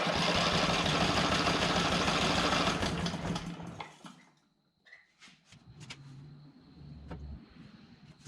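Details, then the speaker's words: Junk generator test run after brush repairs: engine turns over roughly for about three seconds then dies to quiet rattles, won't catch; flooded with fuel. "now i was turning it over and i pretty much had it flooded and so i pulled the spark plug out just to check"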